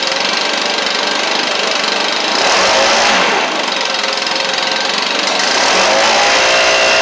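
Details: Stihl BR700 backpack blower after carburetor swap and some choke adjustment: loud, steady two-stroke roar with rushing fan air, revs holding even as it warms; running properly.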